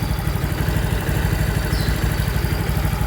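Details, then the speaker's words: Yamaha Mio i 125 after installing a GRacing Stage 2 5.6 camshaft and a TTGR 500cc starter, still on the stock timing gear: a low, even idle at about three beats a second with no ticking, and the cam is quiet. Hard starting came from a disturbed TPS voltage; after the TPS adjustment it starts in one click. "Kaya pala nag-hard starting, nagalaw yung TPS voltage, mga unang sigpit yung TPS. Pero ngayon okay na. Ay, one click lang."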